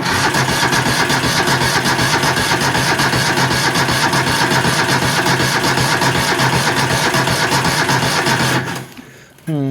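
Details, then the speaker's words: 20 hp engine with a dead battery, jumped with an EverStart 1000 A jump pack, choke on and a little throttle: strong, even cranking about 2.5 beats per second, but it won't start. "Well, she's cranking good, but she don't want to start."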